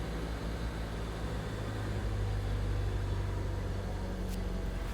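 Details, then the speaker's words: Honda Civic hatchback warming up after years of idle surge fix: even low idle hum, rev rises briefly then settles back to normal with no surging. "key thing here is there is no surge. I mean, it jumps up, but it like wants to come down back to normal."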